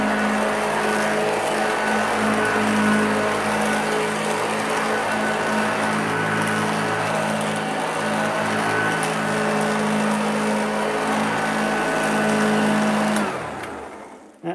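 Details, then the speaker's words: Vacuum running on carpet: steady motor hum with a constant whine and airflow rush, even until switch-off. Running smoothly and healthy. "sounds pretty good so uh that's a sneak peek at that"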